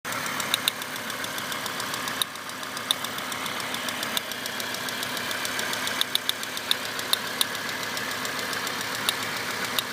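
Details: 1998 Volvo V70 petrol engine running with sharp, light, plastic-like clicks, about three or four a second, from the back of the engine; cause unknown.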